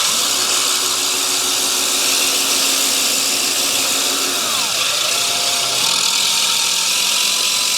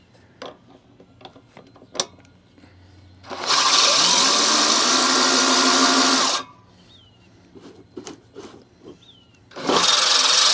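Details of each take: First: Allett Stirling 51 reel mower being backlapped with compound, reel driven in reverse by a drill: steady harsh high-pitched grind against the bedknife, easing as it runs, either compound moving off the blade or it needs adjusting down; not sharp yet. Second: Allett Stirling 51 reel mower being backlapped, drill-driven in reverse, after reel adjusted down one click on both sides: two even bursts of high hissy grinding against the bedknife; contact restored and steady.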